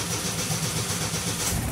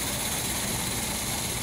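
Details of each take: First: Del Rey carbureted car started after sitting, fuel poured into the carburetor: rough low idle with a light irregular rattle, which is the loose exhaust knocking underneath. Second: Gold Del Rey, carbureted engine freshly restarted before the front is stripped for painting: a steady, even rush of engine noise with no knocks or misses, a normal idle.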